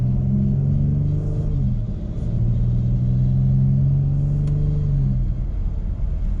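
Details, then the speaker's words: Chrysler 300/Charger 4x4 after replacing the front axle intermediate shaft control module, under acceleration: deep steady drone wavering slightly with load, not heard before the repair; unusual drivetrain noise, cause not yet pinned down. "I actually don't like the sound that's coming out of that. I don't think that sound was there before."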